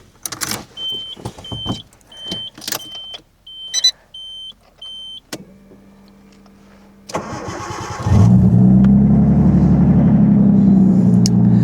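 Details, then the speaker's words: MINI R32: dash chimes, then a short crank that catches within a second and settles into a smooth, steady idle. Normal start and idle. "Yes. Oh, how I miss the sound."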